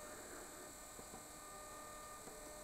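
Steady, even hum with a faint constant high tone and no knocking or rattling; the pump is running smoothly and normally.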